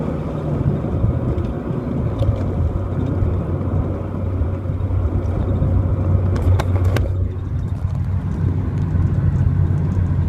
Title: Clio 182 high-rpm misfire